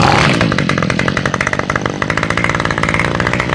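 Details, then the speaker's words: Toro two-stroke string trimmer after carburetor rebuild and fuel line replacement, started cold on full choke: picks up quickly to a crisp, steady buzz with even firing, revs up fast; running healthy. "Straight up cold. She sounds good. [Applause] I love the way this thing sounds."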